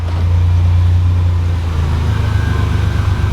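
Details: 1987 Buick Grand National idling after vacuum brake booster swap, shifted in gear under brake then back to neutral: deep, steady idle hum with even beat, no knocks, misses or rattles; idles smoothly, healthy.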